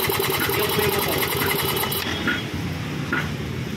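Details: Yamaha Mio 1 125 scooter engine idling with a rough, fast internal clatter, then shut off. The problem is inside the engine: a cracked connecting rod with wiggle. After the repair the rough noise was gone.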